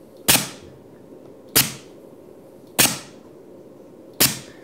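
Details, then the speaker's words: 5-way 24V pneumatic solenoid valve cycling a double-acting cylinder at 30 PSI, exhaust ports without diffusers: four sharp hissing bursts roughly every 1.25 seconds. Normal valve exhaust blast. "And sure enough, that's exactly what happens. Now you can hear the exhaust coming out of the ports."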